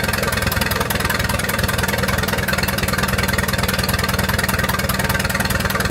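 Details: 1928 Farmall Regular tractor engine running after carburetor tweaking, spark advanced about halfway: a crisp, even beat of firing pulses at a steady pace with no misses or knocks. Healthy normal running.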